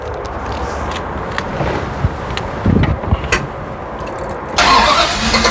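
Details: Apparently the '78 Pontiac Trans Am Bandit tribute (Hurst equipped, T-tops) at a hot rod shop. Several seconds of cranking, then the V8 catches and settles into an even, steady idle; a normal, healthy start.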